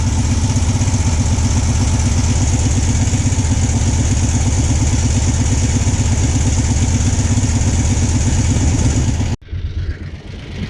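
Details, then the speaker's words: Cold idle that needs throttle held to keep running: fast, light ticking over a steady engine beat, about 167 per minute, which the owner suspects is the timing chain; it quiets a little once warm. "now I don't know if you can hear this that little pointy noise I think that's the timing chain on this"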